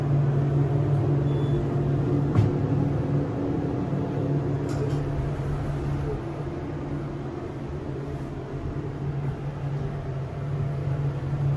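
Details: SEIM screw pump in machine room of elevator modernized a few months earlier, replacing old Dover: heavy low steady droning hum with a few clicks; pump very noisy.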